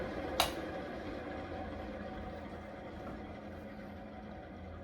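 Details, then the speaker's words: 52-inch Fasco Charleston 3rd-generation ceiling fan slowing after power is cut, giving a steady dry hiss from worn, hissy bearings and spinning down quickly. "And you can clearly see how hissy these bearings are and how quickly this fan does slow down."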